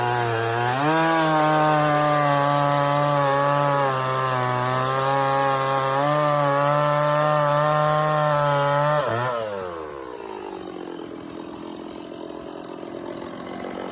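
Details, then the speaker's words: Stihl 024 chainsaw, after carb tuning and makeshift aftermarket air filter, run without choke cutting firewood: crisp high two-stroke scream holding revs under load then dropping cleanly; runs strong, barely missing. "It sounds pretty good up high to me. Didn't sound like it was missing a whole lot."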